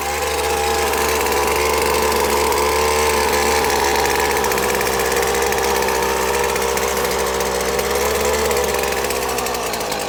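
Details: McCulloch T55 CLS line trimmer after repair, the no-start caused by cylinder head bolts that had come loose over the years: loud even two-stroke buzz holding a steady note for ten seconds without dropping out; running properly again.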